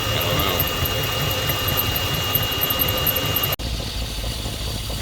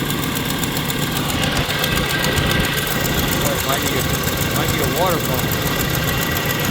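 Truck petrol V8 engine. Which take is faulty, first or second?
second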